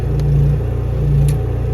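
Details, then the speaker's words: Small generator controlled by Victron Cerbo GX, charger entering bulk and ramping current slowly to about 1440 W charging EG4 batteries: steady deep even drone picking up the gradually applied load, no hunting or surging; normal. "there you go now we go to bulk and you hear the generator load being slowly applied it just doesn't it slowly ramps up the current as you can hear in the generator slowly adding load"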